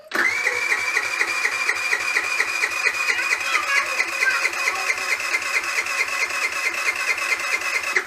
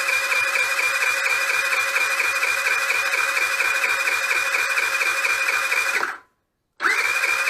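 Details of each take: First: GY6 4T scooter at 900 km after valve clearance adjustment, cranking during a compression test: a strong, even chug about twice a second. Compression rose from 3 to 8 bar, still low but it should start; normal cranking. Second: Nearly new GY6 4T scooter at 900 km that won't start, compression test while cranking: the starter whirs high and fast with light pulses and no heavy compression strokes, stops and restarts. No compression.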